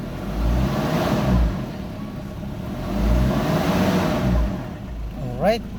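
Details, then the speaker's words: Ford Ranger after top overhaul, started first click once an obstructing leaf was removed, aircon on: engine revs up and settles back smoothly several times, no knocks or rattles; normal running. "All right na all right aircon natin ganda ng andar"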